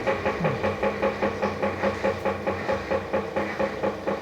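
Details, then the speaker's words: Electrolux washing machine with replaced agitation mechanism (suspected faulty again): rhythmic groaning clunks, two to three per second, with each agitator stroke, and it is not agitating properly to wash; loud abnormal noise during agitation, cause unconfirmed. "Deixa a hora que ela se tripular, você vai ver o barulho que ela tá fazendo. Além de fazer o barulho, ela não tá também agitando para lavar."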